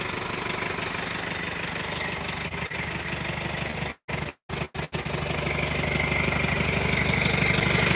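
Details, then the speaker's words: Truck just started: rough, uneven beat around three per second with a stumble, exhaust likened to an old Detroit; diagnosed as needing an injector, not confirmed. "Sounds like it needs an injector. Man, it even sounds like an old Detroit. Listen to the exhaust."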